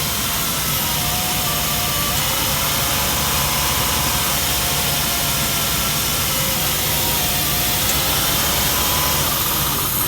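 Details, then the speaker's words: Honda EK Civic with clean oil and a new coil pack, idling roughly: hissy idle with a faint steady whistle; definitely a vacuum leak. "That's definitely a vacuum issue. There's no questioning that. Well, it sounds like it's right up here."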